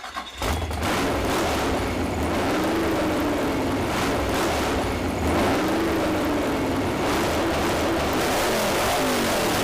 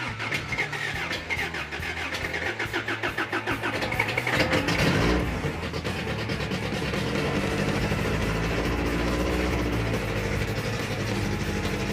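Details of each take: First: Mini truck four-cylinder with power upgrades, first fire-up after the build, heard through poor internet audio. It revs up and settles repeatedly without misses or knocks and runs well. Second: Freshly rebuilt carbureted 350 V8 on first start with timing set close: cranks, fires and catches, settling into a lumpy, uneven run with sharp exhaust pops sounding like raw fuel exploding; loose rocker arm suspected, not confirmed.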